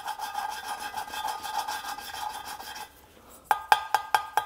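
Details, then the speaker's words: Peugeot 106 cylinder head during restoration, valve lapping with paste and suction-cup tool: rhythmic gritty rasping at about two strokes per second as the valve is twisted on its seat; seat still coarse, sound refines as lapping progresses. "On entend le bruit quand je rôde la soupape, là, quand je tourne le rodoir, on entend que ça s'affine."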